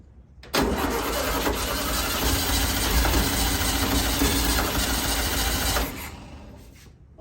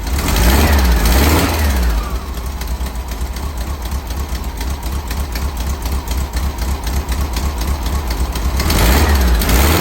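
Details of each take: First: 1964 VW Beetle with the motor newly installed: about five seconds of even cranking near four beats a second that never catches, from fuel starvation due to a faulty mechanical fuel pump, later bypassed with an electric pump. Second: 1964 VW Cal Bug budget build, flat-four running after wiring and motor install. Steady, even idle with a quick rhythmic pulse and light exhaust ticking; healthy apart from a couple of minor exhaust leaks.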